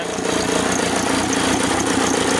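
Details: VW camper van with a freshly installed AHU TDI engine and new ECU: a lumpy, uneven diesel idle with a recurring single-cylinder stumble like a misfire; there is white smoke, the ECU supplier suspects pump timing is off, and the injectors may need repair.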